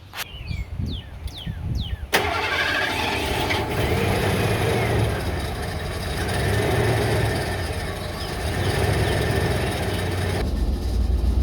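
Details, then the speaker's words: 1988 Ford F150 V8 pickup after replacing all 8 spark plugs and all plug wires plus coil wire: starter cranks, V8 catches into uneven, lumpy idle with persistent stumble; misfire unchanged. "It literally sounds the same. I really don't hear any difference."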